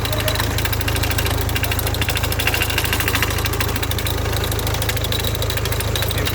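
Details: 2005 Hyundai Tucson 2.0 CRDI diesel idle: irregular rattling tick about two per second from a damaged clutch release bearing, making the fork jump so gears won't engage.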